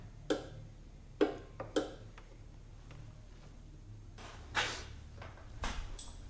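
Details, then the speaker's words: 1976 Mitsubishi Galant hardtop fitted with 2.6 L Astron from a Sigma, battery first connected: four sharp uneven clicks over background music, headlight relay clicking on and off. "I wish they'd turn Metallica down so I can listen. [Music] can hear the I think it's the headlight relay clicking on and off."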